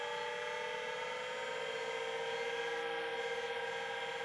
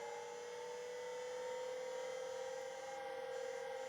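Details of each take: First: 1985 Plexus P/20 UNIX workstation hard drive, powered without data cables and recorded with the microphone right next to the drive: only a smooth steady spindle whine with no head clicks. The platters spin up properly, but there is no head seek activity. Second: 1985 Plexus P/20 UNIX computer MFM hard drive powered up with ribbon cables connected: quiet steady whine at constant pitch with faint soft ticking; servo speed control good.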